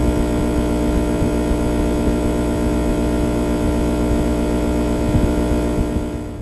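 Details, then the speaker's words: Steady loud electrical buzz with constant low hum and stacked tones from a power inverter installed outside an RV bus, run on a non-GFCI outlet after ground fault trouble; cause of buzz not confirmed. "I'm not sure if this will turn out in the video or not but can you hear the buzz of that inverter that's outside the bus"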